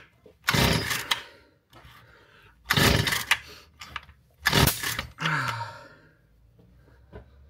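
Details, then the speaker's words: Stihl FS 38 trimmer being repaired, pull start after carburettor adjustments; three pulls each with a sharp exhaust bang and puff, never catches; backfires and won't start; cause unclear. "Vous entendez quand par moment ça pète un grand coup, je vois la pression d'échappement partir."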